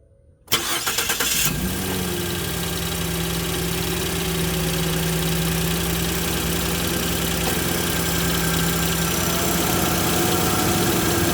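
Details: Ford F150 first-gen EcoBoost after replacing failed turbo coolant line fittings and refilling coolant: short crank, engine catches and settles into steady, even idle with faint constant tone; no knock or misfire, checking for leaks.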